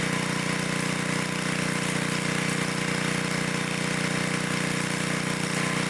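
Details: 1972 Dayton 3,000 W electric-start generator, unused for 30 years, reassembled and started for an RPM check: a steady, even drone at constant speed with no misses, knocks or surging, running smoothly and sounding healthy.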